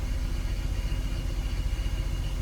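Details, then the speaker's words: BMW E46 after a CCV vacuum leak repair: still a lumpy, stumbling idle with dropped pulses, codes down to P0301 and P0306. Cylinders 1 and 6 misfire; two coil packs were found bad. "bad news is that the rough Idol is still there we had we eliminated five misfire codes though so we're down to 301 and 306 so the first and sixth cylinder are misfiring so I'm going to Swip some coils around and see if that doesn't help fix the issue at"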